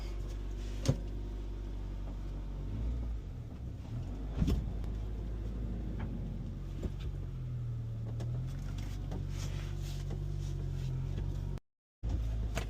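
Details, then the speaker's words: 2004 Honda Element EX just after an oil change to Valvoline Restore & Protect 5W-30: engine started, low steady even idle with no knocks or misses, a few nearby clunks; runs fine. "And then fire it up. Brand new oil. Hopefully. Oh yeah, sounds good."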